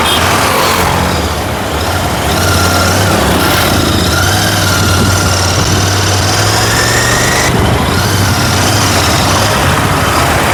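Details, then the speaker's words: Royal Enfield GT650 twin after repair of starting, misfiring and stalling complaints, blown fuse replaced: steady even beat with no missed or uneven firing over background noise; normal idle, healthy. "വണ്ടി ഇപ്പോൾ എല്ലാം ഒരു ബീറ്റും നല്ല ബീറ്റായിട്ട് കറക്റ്റായിട്ട് വർക്കുന്നുണ്ട്. വണ്ടിയുടെ കംപ്ലൈൻറ്റുകളൊക്കെ ഇപ്പോൾ already മാറി."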